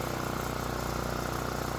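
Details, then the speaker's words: Generac generator stored two years, no-start and ether fire, after repair: started first pull on full choke and settles into an even, steady putter with no misses or surging; running smoothly. "First pull. And it sounds good."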